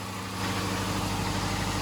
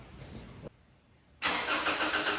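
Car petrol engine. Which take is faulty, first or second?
second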